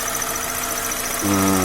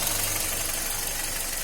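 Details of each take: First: 2010 Hyundai Elantra, engine running at idle then revved: thin, steady high whistle over the idle that holds as revs rise, from the clutch area near the slave cylinder and release fork; dry clutch release fork whistle. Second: 2010 Hyundai Elantra running, after treatment for a whistle near the clutch that returned after engine washing: steady, even idle with only a soft hiss and no whistle; clutch area sounds healthy, fix worked.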